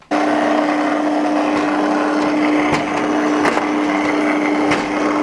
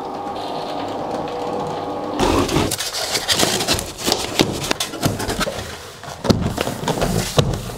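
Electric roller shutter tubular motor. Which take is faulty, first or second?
first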